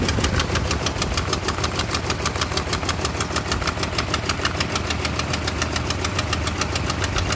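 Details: 1988 Toyota Pickup, 22R engine with Aisin carburetor, after head gasket replacement: uneven idle pulsing about three times a second; rough idle.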